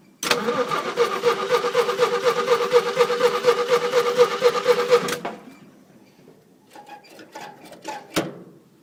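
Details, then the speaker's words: 1971 Jeep CJ-6 stock Buick 225, hot-wired, worn engine, no exhaust manifolds: cranks and catches, then raw crackling bark with sharp pulses from open exhaust ports. "But I did hot wire it, got no exhaust manifolds on it."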